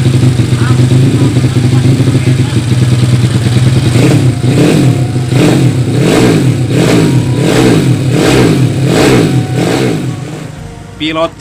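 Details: Yamaha Vega ZR with 200cc Mio cylinder swap (66 piston, standard stroke), Tiger carburetor, after re-jetting to main jet 145; crisp even revs climbing and dropping roughly every second, no misses or popping, running properly.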